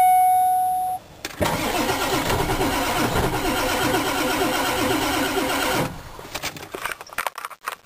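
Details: 1996 Ford 7.3 Powerstroke diesel, below about 50 degrees, not plugged in for two days, glow plug relay controller already replaced: chime, then about 4.5 s of steady even cranking with no catch; cold no-start, cranks but won't fire.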